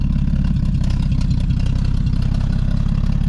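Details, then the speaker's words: 1952 Dodge M37 military truck idling just after a cold-weather start, clutch out. Steady low idle with loud, raspy puffing at every firing pulse. The exhaust is rusted out and leaking, and smoke billows up into the cab. "rusted out, and a lot of that, you can see the smoke comes up into the cab."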